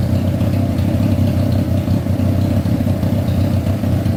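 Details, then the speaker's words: Honda CBR600 engine swapped into a go-kart, after carburetor work, idling steadily with an even low burble, all four cylinders firing cleanly; idle seems high, possibly idle screw set too high; normal idle. "we're gonna let this idle for a bit see if anything comes on like the fan man that sounds pretty good"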